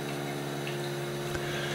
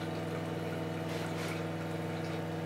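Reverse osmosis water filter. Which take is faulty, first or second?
first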